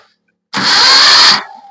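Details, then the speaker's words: Maruti Suzuki Omni MPFI that stopped while driving with a small noise, now won't start: short, fast, even starter whir spinning far too freely with no compression pulses; broken timing belt. "ഒന്നുകൂടെ അപ്പൊ ഇപ്പൊ നമുക്ക് ആ ഒരു free കറക്കമാണ് കിട്ടുന്നത് means അതായത് നമ്മൾ സാധാ സ്റ്റാർട്ട് ചെയ്യുന്ന പോലുള്ള സൗണ്ട് അല്ല കിട്ടുന്നത് അപ്പൊ അതിനർത്ഥം ഇതിന്റെ ടൈമിംഗ് ബെൽറ്റ് ഇതിനകത്ത് പൊട്ടിയിട്ടുണ്ട്"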